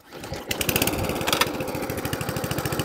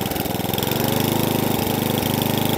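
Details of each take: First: Atco Balmoral cylinder lawnmower after carburettor fuel-starvation fix and service, engine at fast revs: quick even clatter, cutting cylinder spinning though never engaged; engine wouldn't shut off. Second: Atco Balmoral cylinder lawnmower with electric start, serviced after a carburettor fuel-starvation fault: quick, even firing that holds steady with no misses or surging while revs and tick-over are fine-tuned; the engine runs cleanly.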